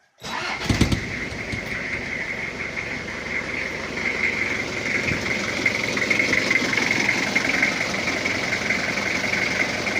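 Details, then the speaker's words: Toyota Kijang diesel after repairs for coolant overflowing into the reservoir; temperature sensor moved into the block, reading 68 at start. Catches right away and settles into an even idle clatter with no knocks; normal diesel idle. "untuk suara ini suaranya udah normal dan udah adem klintingnya udah dapat"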